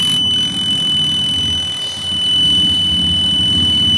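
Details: AQUA QW-781 XT twin-tub washing machine spin dryer before seal replacement: thin steady high-pitched squeal over the spin motor hum, typical of a rusted dryer tub seal dragging.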